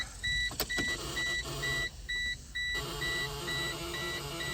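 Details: 1996 Geo Metro three-cylinder, 5-speed manual, power just hooked up: steady high beep pulsing about twice a second at key-on over low rumble, with no fuel pump heard; warning chime, cause not confirmed.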